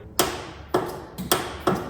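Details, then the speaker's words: 1989 Ford F150 302 V8, parked for years: four sharp single clicks, no cranking; starter relay suspected. "We might have low voltage. Something's clicking over there. I guess it's a starter relay."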